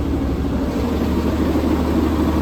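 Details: Massey Ferguson 1200 tractor just reassembled, started in neutral for a leak check: steady, even low diesel rumble at idle with no knocks or misses, steering working; the engine idles smoothly and sounds healthy.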